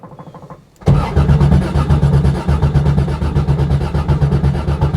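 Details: Corvair-engined Baja Bug returning to the road, fuel pump primed first: slow cranking, then catches and settles into uneven idle pulsing a bit over once a second; cold start, owner unsure if it still needs choke.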